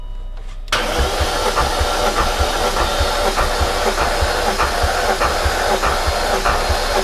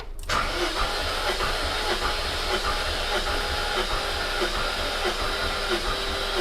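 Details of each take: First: High-mileage supercharged S62 V8 BMW E39 M5, cylinder 1 retested with extra battery, reading 160 psi (was 135): labored, uneven cranking about 1.5 beats per second with no firing; slow cranking, cause suspected, not confirmed. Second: High-mileage supercharged S62 V8 BMW E39 M5 compression test, cylinder reading 175 psi: steady, even, strong cranking about 1.5 beats per second; normal cranking compression.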